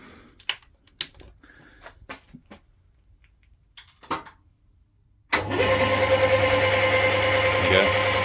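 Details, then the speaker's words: Smart & Brown Model A lathe in a home workshop, switched on; a few handling clicks, then a steady even drone of constant tone with no knocking or grinding, a bit noisy. Normal operation. "Can be a bit noisy. I'll just shut that off. But yeah, it's a fantastic piece of kit."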